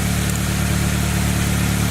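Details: 2003 Saab 9-3 after a no-start caused by a loose starter: steady, smooth low idle with even firing and no clicks or grinding; the engine is idling normally.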